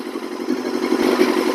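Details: 2000 Yamaha R6, revived after sitting unused over 4 years, at operating temperature (gauge reading 68 going on 70) during a coolant flush: fast, even four-cylinder patter at steady idle, no knocks or misses; healthy warm idle.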